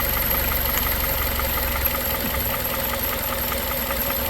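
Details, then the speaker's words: 2001 Toyota Corolla 1.8 after fixing P0301 misfire, scope on cylinder 1 whose carbon-fouled spark plug was cleaned with a cleaning liquid: steady low idle, soft even pulse, light valvetrain ticking, no miss; idling normally, running better. "Después que le hice la limpieza con ese líquido ya trabajar un poco mejor ahí está ahí está el cilindro número un"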